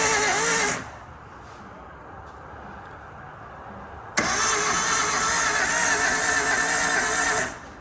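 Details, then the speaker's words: Suzuki Samurai engine as it arrived, unknown history, oil added, battery at 13.1 V, cranked with a starter button: two bursts of strained, uneven cranking with no firing, an odd dragging sound. Rockers are moving, heavy smoke and blowby follow. "I just want to see if rockers moving sound weird yeah it does sound weird they're moving"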